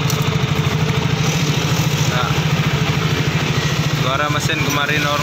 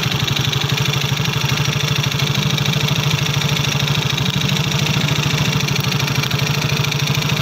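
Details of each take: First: Yamaha Soul GT single-cylinder after repair for noisy engine caused by empty oil from late oil changes, cleaned inside and refilled: steady, even putter at idle with no knocking or top-end rattle; sounds healthy. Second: Yamaha Soul GT scooter idling with a loud, harsh clatter over the exhaust thump; the engine oil is found empty because oil changes were always late.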